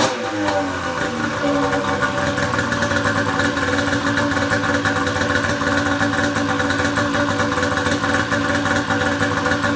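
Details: Pro XR 800 two-stroke sled after replacing a torched head gasket that caused coolant burning: crisp idle settling quickly into an even, steady note with no stumbling; no white smoke, sounds healthy.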